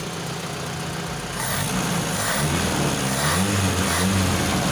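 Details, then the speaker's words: Honda Civic Wonder with its carburetor swapped for a Toyota Kijang carburetor: an idle rumble, then the revs climb cleanly when the throttle opens with no stumble or bog, so the new carb responds normally. "Nah karena dia RPM yang naik jadi enak banget ya Jadi ini normal banget karburatornya tercepat gas"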